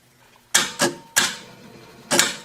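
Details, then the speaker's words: Circulating pumps controlled by a mercury-switch thermostat on a 24 V control circuit: a quiet room, then sharp metallic clacks in quick pairs as the contactors snap in cleanly with no chatter. Normal contactor pull-in. "you hear the contactors picking up."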